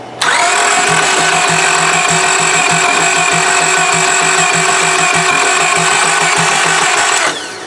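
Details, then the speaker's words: 2002 Honda Accord, sat about two years, with new fuel pump and battery, cranks steadily with even compression pulses but won't start despite fuel at the rail and ether; owner suspects the timing belt skipped a tooth. "it's still not kicking over we sprayed a bunch of ether down the tube so we're wondering what's going on"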